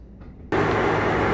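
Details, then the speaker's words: Maytag Bravos HE top-load washer, loaded with clothes and with the lid lock removed for viewing, on its fastest spin. A quiet hum rises into a loud, even rushing whir with no knocking: normal high-speed spin. "right we're back on its fastest spin very fast and typically like I said you wouldn't be able to lift this up it'd be locked but this is just for testing purposes so you can see that it is spinning nice and fast"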